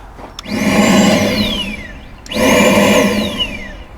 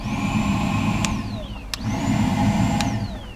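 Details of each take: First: 2009 Ford Fusion with codes P0410 and P0491: two bursts of loud blower whoosh with a whine spinning up and winding down. The secondary air pump is heard loudly because its inlet tube at the air filter housing is loose, which alone wouldn't set the codes. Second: 2009 Ford Fusion with codes P0410 and P0491: the secondary air pump is commanded on with an activation kit on its relay. A vacuum-like whirring drone with a thin whine that climbs and falls away shows the pump running, heard unexpectedly near the air filter housing.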